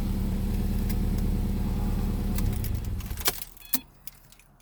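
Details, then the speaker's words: 2009 Subaru WRX hatchback, brand-new EJ255 long block with about 11,000 miles, after a cold start: steady rapid knocking pulses over the running engine before shutdown, heard about 1500–2500 rpm; owner suspects possible rod knock or rod bearing. "I can hear it from about the 1500 rpm range to about 2500 revving it up from about 15 to 3 steadily I didn't hear it but there's definitely a metal-on-metal sound happening"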